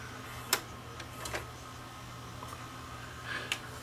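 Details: Hitachi DV-PF74 VCR that squeaked loudly while playing tape, after cleaning the dirty guides, heads and pinch roller: a quiet steady hum with a few soft ticks and no squeal, so the transport runs smoothly.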